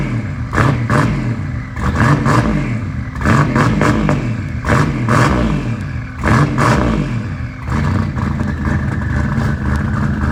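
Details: Car after installing RJC V-band exhaust gaskets, exhaust leaks fixed: loud revving in repeated throttle bursts, crisp even exhaust with no puffing or ticking; exhaust sealed and running well.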